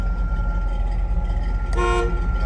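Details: 1978 Chevrolet K10 4x4 with 350 V8 and automatic transmission, horn recently fixed: a clear, steady horn blast of about a third of a second over the idling engine; working horn.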